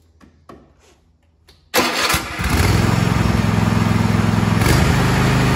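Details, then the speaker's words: Kohler KT735 (7000 Series) twin on a Cub Cadet SLX50, which was running at half power, started after an ignition coil install. It catches and settles into a steady, even twin beat and sounds much better. A little top-end popping is likely accumulated unburned fuel clearing. "well there you go it sounds much better there's a little bit of popping and missing on the top end of that and that's probably from all the fuel that has accumulated that was not fired and burned"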